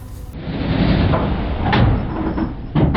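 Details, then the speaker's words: Diesel 4WD labouring up a steep track over a tree root, then sharp metallic bangs as both front CV joints smash apart under load; the wheel cap also came off. "it is sometimes common to break a CV now this is something I haven't seen before both CVS have absolutely smash into a million pieces"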